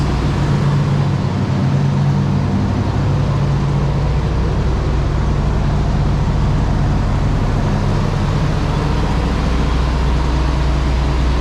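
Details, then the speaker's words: Abandoned 1992 GMC K2500 454 big block, unrun since 2009, after fuel pump, tank and tune-up: deep, smooth, steady V8 idle, quiet with no knocks or misses; possibly a minor vacuum leak. Normal idle. "Now it's awfully quiet for a 454. Still got the stock mat and all that, but it's like it was parked yesterday."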